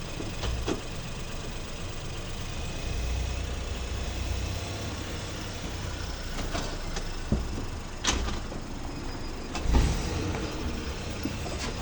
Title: Problem with reverse gear where loud noise is heard.